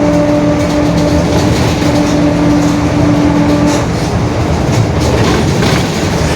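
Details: 2021 Marcopolo Torino S bus on Mercedes-Benz OF-1721 BlueTec 5 chassis, onboard while driving: steady low hum under road noise about four seconds, dropping away off load; growling rear differential.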